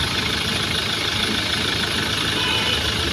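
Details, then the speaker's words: Mahindra XUV500 diesel after replacing the fan belt and pulley adjuster that were making noise: steady, even idle with no squeal, chirp or rattle from the belt side; belt drive now quiet. "ठीक है इसमें कोई आवाज नहीं है"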